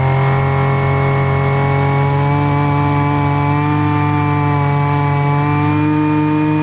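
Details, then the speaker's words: Husqvarna 128LDX string trimmer, long stored, won't-start complaint fixed: steady high-pitched two-stroke buzz, no stumbling or surging; normal running. "Just a few minutes of uh carburetor adjustment. Um I guess, you know, you'll be able to see how the machine reacts to rich and lean settings on the high and the low speed jets."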